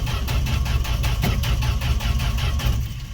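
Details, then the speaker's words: Fargo D100 (Dodge D100) pickup cold start after sitting all winter, gas poured down carb throat: steady cranking about six beats a second, never fires; owner thinks no spark, cause still to be found. "all right well I guess the next video is going to be figuring out why it's not starting"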